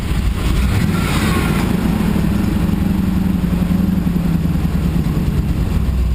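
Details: 6.0 V8 in a Blazer at its first start after much work, a light going off: a loud, rough rumble with a dull bottom-end knock at an uneven idle; metal found in the oil, and the owner suspects a spun bearing.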